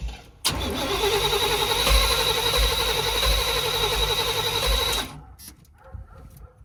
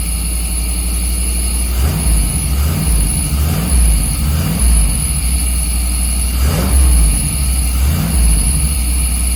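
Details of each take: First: 1990s Chevy 350 5.7 V8 campervan: starter spins the engine steadily about four beats a second for four seconds, never fires; crank no start from fouled spark plugs. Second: 1990s Chevy 350 5.7 V8 campervan after replacing fouled spark plugs and cleaning ground wires: blipped about six times, returning each time to a steady even idle, no misfire or stumble; owner thinks it idles too hot, may adjust timing.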